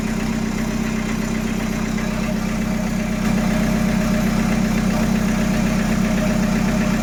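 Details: Peugeot 806 1.9 TD diesel, start test after engine rebuild: even diesel clatter with steady low beat, no misses, knocks or surging; smooth, healthy idle.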